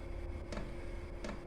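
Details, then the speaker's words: Chinese diesel heater exhausting through a home radiator, starting after about 3 minutes of glow-plug warm-up: the fuel dosing pump ticks evenly, roughly every three-quarters of a second, over a low rumble before the burner roar builds. Normal start-up. "and then you'll start to hear the there you go, bang on cue, the diesel pump tapping away in the back, and then you'll gradually get a little roar,"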